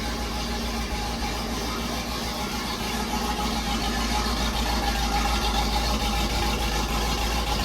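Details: 1968 Pontiac Firebird, restored after decades sitting, not run all winter, cold; after moving battery cables off the fan; steady slightly raised even idle, low rumble, no misses; normal cold fast idle while warming.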